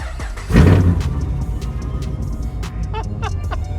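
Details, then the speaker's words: Holden VE Commodore SS V8 at auction, sounding cammed with an aftermarket exhaust; cranks and catches with a deep burst, then settles into a loud, lumpy low rumble, louder than the other SS; sounds healthy. "so it's louder definitely louder uh it sounds like it's all cammed up um and it's definitely got an exhaust sounds good really really good"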